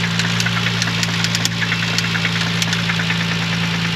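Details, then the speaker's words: Parts car engine at 133,000 miles idling: sharp metallic knocks about four or five a second rapping over a deep steady idle; classic rod knock. "so it has rod knock it's at 133,000 uh miles but yeah that's what you get when you buy a parts car"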